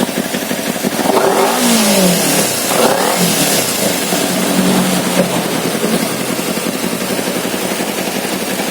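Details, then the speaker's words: Kawasaki Z250 FI with severe stumbling mostly at low rpm, thick pungent black exhaust smoke, high fuel use, unstable idle sometimes hanging at 3000–3500 rpm: blipped throttle gives ragged rev with coughing, popping; misfire running rich, TPS suspected. "yang jelas e kendala utama dari ini berebet-bet parah itu sampai keluar asap hitam"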